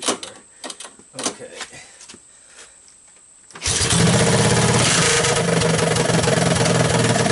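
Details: 1983 Honda ATC200 single after a budget top-end rebuild: torn-up valve seat, used cylinder and used rings, gaskets not changed; started half-choked because the carburetor was suspected of flooding. A few cranking clicks, then it catches into a steady, even run with no knocks; running normally.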